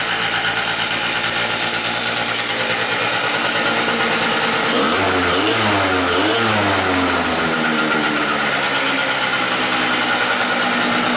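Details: 2009 50cc two-stroke scooter (Key West model), lean no-start: raspy, high-pitched idle with brief rev flare, running on starting fluid about a minute before dying; spark not suspected lost.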